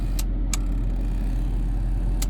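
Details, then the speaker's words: Cheap auction Jaguar XJS, straight-six 3.6 or 4.0, checked with the engine idling smoothly. Turn signals and hazards give sharp ticks in uneven pairs with long gaps; a bad connection is suspected. Irregular indicator ticking. "oh we got a bad connection somewhere what about the hazards they do the same yeah all right so there's bad connection there"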